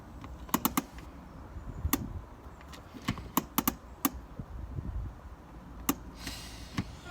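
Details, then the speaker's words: BMW 3 Series E90 handbrake during adjustment, lever pulled up: crisp ratchet clicks, six clicks, later adjusted to four; handbrake engages normally. "so let's just try that handbrake and see how many clicks we've got six six clicks"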